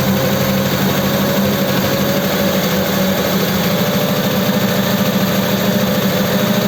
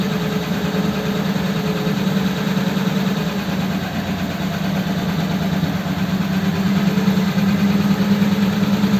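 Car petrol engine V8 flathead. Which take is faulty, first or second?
first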